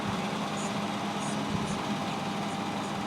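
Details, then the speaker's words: Diesel machine started after shimming the starter: steady low hum with scattered high scraping chirps every half second or so; starter pinion sawing against the flywheel ring gear. "well I got it running shimming it out though you can hear it sawing on the starter as as we stand here"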